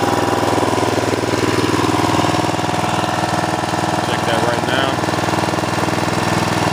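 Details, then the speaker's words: Snapper riding mower: steady even putter from the single-cylinder engine at idle, no misses or knocks; nice smooth idle, normal. "and their clothes they got nice smooth idle good"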